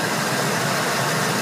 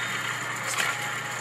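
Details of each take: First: Ford 4.6L/5.4L V8 after replacing belt-drive pulleys to cure a front-of-engine whine often misdiagnosed as the power steering pump. Smooth, even engine rush with no whine or squeal; the belt drive sounds healthy. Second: Ford 4.6L/5.4L serpentine belt tensioner pulley removed and hand-spun three times: dry gritty rasp fading as it slows, worn bearing causing a whine often misdiagnosed as power steering pump.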